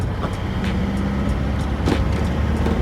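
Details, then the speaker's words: 2023 Isuzu Traviz L, Euro 4 diesel, 20,000+ km, road test under acceleration: loud, steady drone that climbs with engine speed ("screaming"), soft clutch, some rattle from the cab body rather than underneath. Noisy but normal. "Tsaka lambot ng clutch. Akala mo wala. Sigaw na sigaw yung makina."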